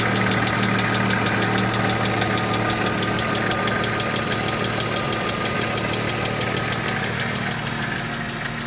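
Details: 1995 BMW E36 M3 S50 inline-six at idle: loud, fast, even ticking from the top end over a steady idle, suspected lifter tick.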